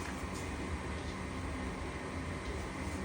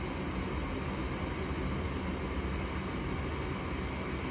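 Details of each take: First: Goodman furnace flashing 3 blinks (open pressure switch); steady whirring inducer hum with no ignition click or whoosh, burner never lights, still 3 blinks. Inducer runs but no ignition; cause not confirmed. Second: Goodman furnace that flashed 3 blinks (open pressure switch), now lit after cleaning the pressure switch port and reseating its connectors; steady even burner and blower roar, no clicking, surging or dropping out. Normal running after fix.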